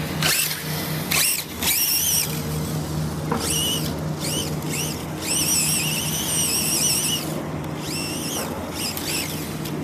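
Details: Vitarra Glamis UNO RC car on its first run after a differential rebuild, at medium speed: steady motor hum with rising and falling high whines as the throttle is worked, no grinding or clicking; normal running.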